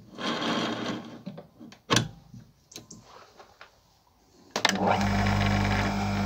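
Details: Electric chainsaw chain sharpener grinding the right way: brief grinding bursts with pauses, then a steady motor hum; short light passes let the cutter cool, unlike long heavy grinding that overheats the chain; correct short-burst sharpening.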